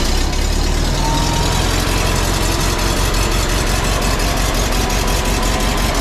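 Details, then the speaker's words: 1952 Volkswagen Beetle split window standard, air-cooled flat-four, running after 40 years sitting once the fuel system was redone and the carburetor cleaned: steady, low chugging idle with an even beat, no misses or surges; normal. "she's a runner she's a runner that's correct 40 years minimal work redid the fuel system cleaned the carburetor basically basic stop"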